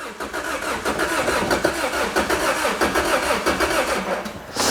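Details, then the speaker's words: Wrecked 2006 Lotus Exige with a Toyota engine, unrun for a while, oil level good, 11.9 V measured: the starter cranks at an even rhythm but the engine never catches; a fuel cutoff or safety switch or no fuel is suspected, not confirmed. "if it's got like a safety thing? Maybe, but we got power, so you think that would be, maybe it's not getting fuel?"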